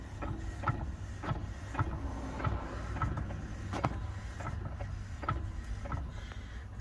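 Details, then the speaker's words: 2017/2018 Tesla Model S 100D, UK RHD, about 130k miles, car lifted, wheel turned by hand: irregular loose clunks and rattles about once a second from front half shaft slop absent on other side; worn half shaft, later replaced by Tesla under service bulletin. "a lot of slop and rattle in that that isn't present on the other side so i'm not sure if that's the issue"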